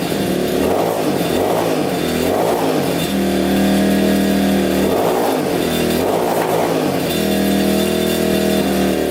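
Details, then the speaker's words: Yamaha Warrior 350 quad after carb cleaning, float lowered and fresh gas: repeated revs rising and falling about once a second, dull and boggy; running rich, suspected exhaust pipe blockage. "It's gotta be that pipe. It's still sounding really rich."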